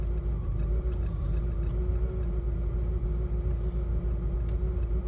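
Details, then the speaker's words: 2006 Cadillac STS Northstar V8, 265,000 miles, idling after a no-crank no-start, charging at 14.4 volts: uneven, lumpy idle with a low rumble that stumbles irregularly, running very rough, cause unclear. "the car is running very very rough so i'm gonna take a look at that"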